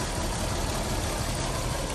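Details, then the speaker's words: 2001 Audi A6 2.7T, about 228,000 miles, overheating with check engine light: rough lumpy idle with dropped pulses, a dead miss at idle; milky crankcase residue, smoke and coolant leak suggest suspected head gasket failure letting coolant into cylinder. "seems to run okay but I can kind of start feeling it misfiring there when it comes back down to idle so I don't know if you can hear that it's definitely got a dead Miss at idle here"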